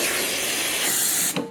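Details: Andreja Premium E61 espresso machine after restoration, including a new expansion valve and air valve: strong, steady high-pitched steam hiss that shuts off cleanly, with the steam wand giving good dry steam and working normally.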